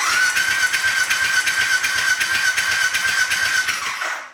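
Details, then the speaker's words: Triumph Bobber fitted with a Speed Twin/Thruxton engine after swap, no spark plugs, coil wire disconnected, no fuel tank, in neutral: starter spins engine with steady high whine and quick even pulses, no firing, building oil pressure; oil light goes out. "we just want to get some oil pressure up for now and then start it up"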